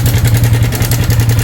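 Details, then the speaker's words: Yamaha Sniper 155, automatic cam chain tensioner, already on its second stock tensioner, before swapping to a manual tensioner: fast, steady, loud metallic clattering tick over the idle from the top end; cam chain tensioner noise, chain slapping. "Buti nakarating pa to dito. Grabe yung tunog niya, oh. Lock, no? Tensioner mga boss, confirm."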